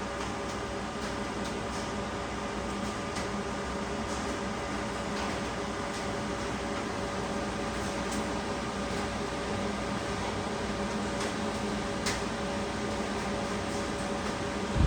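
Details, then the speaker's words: High-voltage heater (K2) fan on a Rawsuns RAD20000 diesel-electric system under component test: steady, even whir with constant low hum, no rubbing or rattle, blowing hot air as temperature-gun reading rises; heater fan working normally. "We also can hear the fan. The sound of the fan. The fan is blowing out the hot air."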